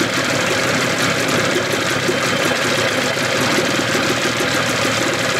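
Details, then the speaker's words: 1981 Evinrude 15 HP outboard with hood off: smooth, even two-stroke buzz with no whine, knock or misfire; earlier whine traced to the lower unit, powerhead sounds good. Normal running. "sounds good I got my sucker off so you can hear the engine no whining so the winding was in the lower unit motor sounds good real good"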